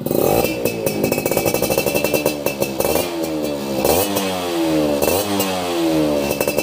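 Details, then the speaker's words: Yamaha F1ZR Millenium two-stroke (YP2 block) during a teardown and restoration, original manifold rubber with a chicken feather found inside; crisp ringing blips, revs rising and falling cleanly, no misfire or rattle; normal healthy running. "Nah ini guys, renyah suaranya"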